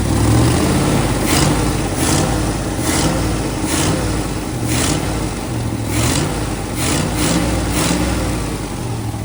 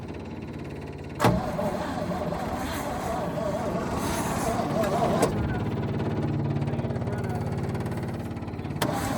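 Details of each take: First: 1966 Chevrolet truck not run since 1996, first run after parts sanded and lubed: deep V8 rumble with a few quick revs rising and falling cleanly, then steadier idle, lots of smoke, no obvious knock; runs decently. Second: 1966 Chevrolet truck not run since 1996, sitting decades, fuel pump powered for the start attempt: starter churns steadily about three and a half turns a second with no catch or firing; cranks but won't start, cause not confirmed.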